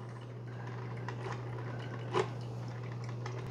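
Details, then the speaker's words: Mr Coffee 5-Cup Mini Brew Switch coffee maker, model BVMC-SC05BL2-1, 650 W, brewing with the lid lifted and output water about 176–178°F. A steady heater hum with faint ticks and a soft pop is normal brewing noise. "Now the coffee maker, it's a little noisy. It's not too bad. You'll hear kind of like a pop, like"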